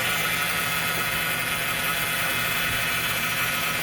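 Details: 2016 Chrysler Town and Country with 62TE automatic, fleet vehicle: a high-pitched whine over the engine hum at steady idle; the transmission fluid was found brown and smelling burnt. A worn front pump is suspected, and there are slipping codes including P0897.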